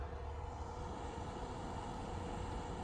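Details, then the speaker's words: Dahua NVR5208-8P-4KS2 stock cooling fans: steady loud whir and constant mid-pitched hum, the power supply fan being the noisiest of the two, before replacement with quiet Noctua fans. "that's the power fan and then just the normal slight fan the power fan is the noisiest answer the two fans"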